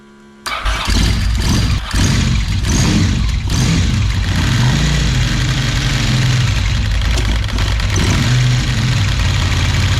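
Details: 1992 Ducati 900SS, about 30 years old, first start after replacing the oil cooler with a broken tab and priming oil pressure: starter catches, twin settles into steady, even idle with light blips; no leaks, healthy running.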